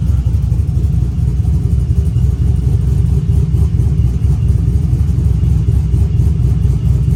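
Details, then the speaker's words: Small camshaft engine tuned for artificial lope with 5 degrees of idle timing swing, after trying 10 degrees (more aggressive): deep rumble with steady choppy lope about four beats a second; balance between choppy and natural cam idle, healthy. "that's a pretty good balance between being too choppy and a natural Sony cam 10 degrees was pretty aggressive as far as the the choppiness goes"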